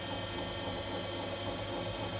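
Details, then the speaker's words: Hotpoint Aqualtis washing machine after bearing failure and drum replacement, test at maximum spin speed: steady even high-speed whir, no grinding or rumble; drum and bearings sound healthy, normal spin. "again maximum speed for spin the back because it's not unbalanced at the moment this is where you'll be hearing a really horrible grinding noise if the drum was uh really not happy"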